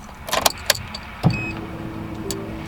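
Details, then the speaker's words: Turbo Honda EF Civic on EMU Black standalone ECU, first start after wiring it in; couple of relay clicks then steady electric hum about a second and a half at key-on; normal fuel pump prime. "fuel pump primed. Heard that."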